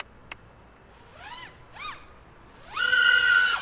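Motor whine swoops up and down cleanly as the quad passes and punches out; no wobble or stutter, motors running smooth.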